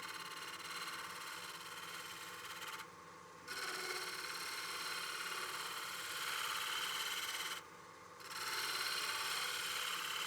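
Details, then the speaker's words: Shear-scrape cut refining the curve of a highly figured walnut platter on the lathe: steady scraping hiss with brief rapid buzzing chatter when the gouge wing corner contacted the wood; fixed by bringing the handle toward the turner to cut on the radiused edge. "You hear that little bit of chatter we had? I was contacting right on the corner of the wing, so I just brought my handle towards me just a little bit, and then I'm cutting on that nice radiused edge."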